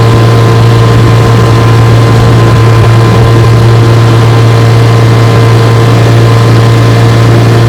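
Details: 1958 Johnson 3 HP JW14 two-stroke outboard, fully restored with a rebuilt magneto and lower unit, warm, pushing a boat about 5 mph: a steady, even drone holding one speed with no misses, surges or knocks; healthy.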